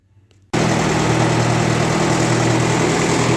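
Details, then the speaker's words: 1958 Oliver 550 diesel tractor just started after reassembly, still cold, with the charging system apparently not charging. Catches and settles into a steady but somewhat uneven clatter of about four beats a second: rough cold running, left to warm up to see if it clears. "all right we got her running I got to let it warm up a little bit see if this clears up"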